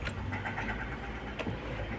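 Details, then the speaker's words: 2020 Hyundai i20 petrol/CNG at about 90,740 km, after a misfire on CNG (codes P0300/P0303/P0304) was repaired and codes cleared; check-engine light off: soft, even low idle with no stumbles after a 10 km test drive; normal idle. "हमने 10 kilometre चला दी, लेकिन गाड़ी भी बिल्कुल okay perfect है, कोई दिक्कत ना है।"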